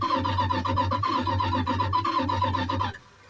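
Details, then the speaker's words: Slow, labored, groaning starter crank on a Dodge Power Wagon bought sight unseen, started cold in a winter snowstorm; cranked to build oil pressure, it sounds like a dying whale, won't catch, winds down slowly. "typical Dodge starters they sound like a dying whale and take forever to wind back down"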